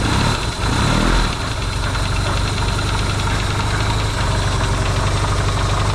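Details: Yamaha XS650 twin refitted to the bike frame, first start after work to cure oil burning: a brief blip, then an even, steady idle with no pinging or knocking, though smoking, hoped to be break-in.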